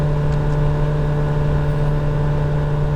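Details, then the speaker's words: 2017 VW Golf Alltrack (MK7) HVAC blower at full speed: loud low hum with a rough fluttering whir, then it tries to spin and switches off with no airflow; failing blower motor, replaced with a used unit. "that's pretty loud. It's trying to spin, and it's off. No airflow."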